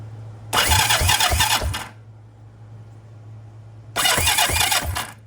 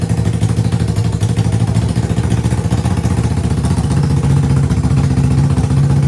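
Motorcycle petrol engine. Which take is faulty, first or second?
first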